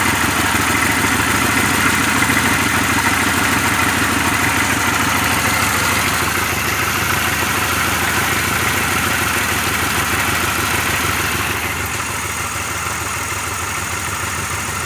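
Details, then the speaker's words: 2006 Pontiac Grand Prix, supercharged drivetrain swap, first start after reinstalling plug wires and coils: loud idle with uneven, stumbling beat about three pulses a second and hood shaking; runs better but still misfiring, cause not yet found. "So I'm gonna try to start this thing. And we'll see how she runs. A lot better. Still sounds like it has a misfire though."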